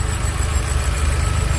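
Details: Fox car at idle, noise reported from the rear area: a thin, steady high whistle over an otherwise even idle that does not change pitch; source not yet pinned down.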